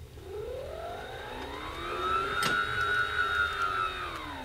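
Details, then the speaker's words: SKF magnetic linear actuator, Swiss-made, 24 V unit: clean motor whine climbing in pitch as it speeds up, then holding steady and smooth with no rattle; healthy, runs like a Swiss watch. "that's right like a Swiss watch and you can tell on account of the sound it makes listen to this"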